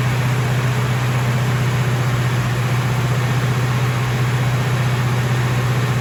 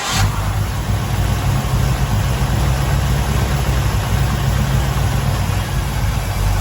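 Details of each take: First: Freshly rebuilt 454 V8 in a 1970 Chevelle at its first start-up: loud, even, fast drone holding steady pitch; engine runs on because the idle is set too high. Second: Freshly rebuilt 454 V8 in a 1970 Chevelle, four-speed, warmed up after first start and timing: deep even burble settling to steady idle, no knocking; lifters sound decent, no need to adjust, running normally.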